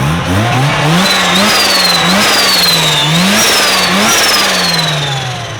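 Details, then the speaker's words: Mazda RX-7 FC rotary with a journal-bearing BorgWarner T51R turbo on its first test drive: revs climb hard through several gears, with a loud rising turbo whistle that drops at each shift. It runs strong and healthy. "dude that t-51r mod is wild the turbo is yelling at us and it's a it's a journal bearing Borg Warner"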